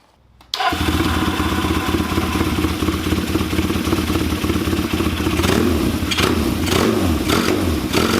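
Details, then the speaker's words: Kawasaki KZ400 with Mikuni VM30 carbs and DNA filters, changed from 2.0 to 2.5 slides, larger idle jet (35 instead of 20). Single-cylinder-like uneven idle, beat wandering and surging, won't smooth out. Too-rich idle mixture, made worse. "so I think personally it made it worse um Idol was way sporadic I couldn't really make it smooth itself out"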